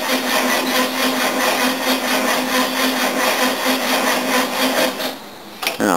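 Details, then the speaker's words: 1969 Mercedes W111 220Sb with new battery, cold: slow laboured cranking about four or five heavy strokes a second, worse when hot; solenoid connection found untouchably hot. Slow cranking from bad starter solenoid connection. "all the connections as I suspected I found that the connection down at the solenoid there is bloody untouchably hot"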